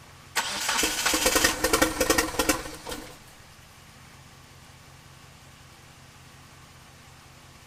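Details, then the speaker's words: 1997 Eclipse GSX crank-no-start with 2G swap wiring, 95-96 cam sensor and 95 ECU: about three seconds of steady, even cranking, then silence, never catching; owner suspects timing or the cam angle sensor, cause unconfirmed. "so clearly something's wrong still"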